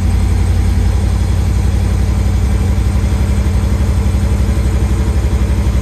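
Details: 1973 Chevy Nova V8, converted from EFI to a Street Demon 750 carburetor, cold and unstarted for a few days after sitting: it lopes unevenly at idle with low pulses about four a second. Rough cold idle, cause unclear.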